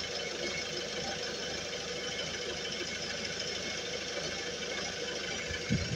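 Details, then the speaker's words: Peugeot Boxer 2 2.2 HDi 120 hp first start after a timing chain kit replacement: smooth, even diesel idle with no chain rattle over the steady clatter; the previous chain noise is gone. "ça a démarré. Il y a plus aucune même pas le bruit de chaîne quoi. Oh que c'est bien ça. Pas de bruit de chaîne."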